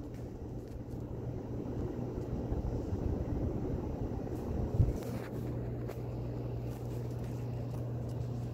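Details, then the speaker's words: 2016 Harbor Breeze Pacific Grove 52-inch ceiling fan on high speed: a low steady motor hum under quiet room noise; silent on low, slight hum on medium, slight wobble on high. "well actually it does a little bit on high speaking of which we're gonna turn on high right now yeah that's when you can hear at home"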